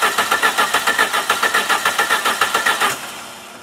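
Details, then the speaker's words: 1990 Plymouth Acclaim with a mechanic-installed rebuilt engine and a new distributor pickup coil: even starter cranking at about six compressions a second, never catching, then winding down; crank-no-start with no spark, traced to a failed distributor drive. "all right so we still have crank no start I have the key on right now because I'm trying to see"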